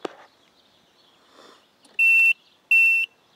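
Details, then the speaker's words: Add-on "Blinker Minder" beeper on a motorcycle, tapped into the blinker feed with a rocker switch to disable it. Sharp high beeps about a third of a second long repeat roughly every 0.7 seconds: turn-signal reminder working normally. "See, and that's where it's coming from. And this breaks the connection of the speaker, of the blinker there."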